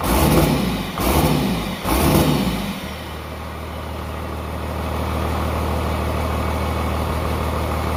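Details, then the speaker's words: Pieced-together 12-valve Cummins P-pump diesel from a 1994 Dodge 250, high mileage, test run after a basic valve set: throttle blips die into a smooth, steady idle with an even low beat, no ticking; sounds phenomenal, normal idle. "all I did was did a basic valve set and now it sounds phenomenal the engine"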